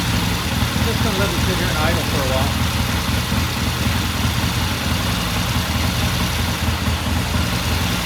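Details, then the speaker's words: 1969 Triumph TR6 motorcycle twin after pilot jet cleaning, about 10 minutes warm-up after a cold start, pilot air screw turned in half a turn: steady, even low idle with settled beat, no misses or knocks; sounds good. "All right, so I guess at 10 minutes or so, and it sounds good."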